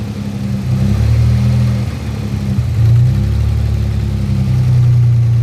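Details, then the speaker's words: Car idling warm at a stop: the idle swells and sags in slow waves every couple of seconds, with a faint extra noise during the surge; a touch of throttle seems to stop it. Surging idle; a failing position sensor is suspected. "so when your car starts to do this at a stop weight just sit just sit on the gas a little a little bit and let off and it seems to Sol it I have a feeling your B position sensor is going bad as well"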